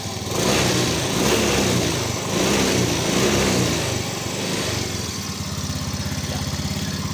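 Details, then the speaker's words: Yamaha Fino 125 scooter, before repair, idle slightly high: gentle throttle makes revs rise and sag unevenly, surging and stumbling (brebet); hesitation at low rpm and power held back mid-to-high, sluggish around 40–60 km/h. "Nah, kemudian saya akan coba tarik gas pelan dulu. Nah ini ya, tuh, seperti berbet gimana ya."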